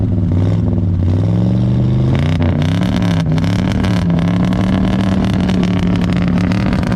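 Deep, smooth exhaust note that climbs cleanly with each blip of the throttle and settles back evenly, a healthy V8 pulling strongly.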